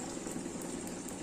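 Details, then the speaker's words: Samsung washing machine showing DC door code, fixed by rejoining the door switch wiring chewed by rats: now running and draining with a steady watery whoosh and soft pump hum, no knocks or grinding; no code. "นี่เครื่องทำงานได้แล้วนะครับตอนนี้ปล่อยน้ำได้แล้วเด้อ"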